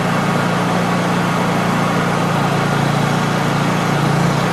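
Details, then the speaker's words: Honda EU3000is inverter generator in normal mode, carb re-adjusted through a drilled hole at the black rear adjustment screw: a steady, even drone and constant low hum with no misses or surging; set correctly, running normally. "that's sounds like it's set right there"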